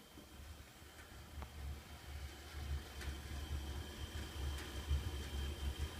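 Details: AFCO natural-gas gravity-feed convection furnace (apparently 1948–1953, no fan) in basement: quiet, steady low flame roar with a few faint metal ticks from the heat exchanger; burner sounds normal, flames uneven, owner suspects burner could use cleaning.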